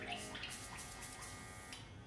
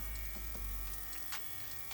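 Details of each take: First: Cordless compressor with master airbrush spraying mostly alcohol while cleaning out before mixing barber color enhancements: steady electric buzz and even air hiss, no sputter; normal spraying, how it should sound. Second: Airbrush spraying barber color enhancement mix: airflow breaks into uneven spits and pops instead of a smooth hiss because the paint mix is still too thick; more alcohol to be added.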